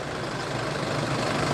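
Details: 2014 Isuzu D-Max 2.5 VGS diesel pickup, 70,000 km, first cold start of the morning: steady, even low diesel rumble at idle, no knocks or misses, no smoke or vapour; smooth, healthy idle.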